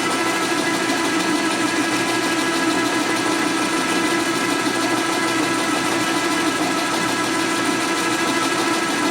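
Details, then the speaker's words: Lathe cutting during cylinder/piston fitting on a 1961 Harley XLCH Sportster rebuild: a steady hiss with a constant whine and slight chatter, chips coming off at an even distance, so the load holds and the cut is consistent. "If it comes off consistent the same distance, it's cutting the same amount. If it goes up or down, it changes the load on it. You also listen to it and hear it chattering a little bit."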